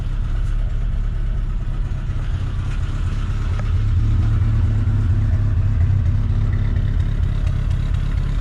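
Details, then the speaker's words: 1985 Nissan 200SX (S12) CA20E with new injectors, plugs, coils, timing belt and water pump: steady low idle with slightly uneven, wandering beat and faint clatter; owner says the air mixture still needs fixing. "it's kind of got a little bit of an idle issue like i said i got to fix the the air the air mixture"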